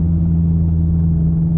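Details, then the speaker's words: Inside the car at about 50–60 km/h with a wheelbarrow strapped on the roof, untwisted flat straps: a steady, low, droning hum over the road rumble. The straps are vibrating in the wind, a horrendous noise. "that is one horrendous noise and as you guys can tell we only just hit about 50 to 60 kilometers per hour"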